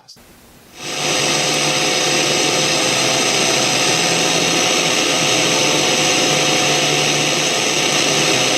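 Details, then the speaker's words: Panasonic RF-2600 portable radio on FM, weak fringe station in northern Connecticut: steady loud hiss with faint whistling tones in the background; owner suspects interference from a wireless router; not confirmed. "okay so on the 2600 you could kind of hear some noise in the background and I believe that noise is coming from my wireless router"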